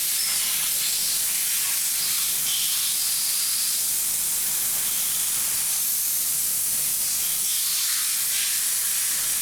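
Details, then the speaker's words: 2001 VW Jetta 1.8T with codes P0442/P0455, tank pressurized by the EVAP basic settings test: a steady thin hiss of escaping air. Soapy water bubbles and fuel smell at the fuel pump gasket, likely installed improperly during a fuel pump replacement. "pretty confident that that's a there's a leak around that gasket there from somebody installing a fuel pump that gasket is a little bit finicky and you have to know the exact right way to put it in"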